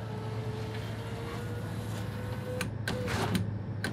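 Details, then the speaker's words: 2017 Mitsubishi Outlander front passenger door after rock shattered the window, new glass fitted: window motor whines steadily, then gritty crunching bursts as it travels from broken glass fallen into the door and track. "all right this almost sounds like there's glass in there doesn't it"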